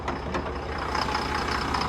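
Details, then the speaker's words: Chevy Silverado with the check engine light on: a light, uneven tapping over a steady truck idle, with an unstable engine. Misfire or low oil pressure is suspected, cause unconfirmed. "y empezó a hacer ese sonido como que estuviera baja presión de aceite"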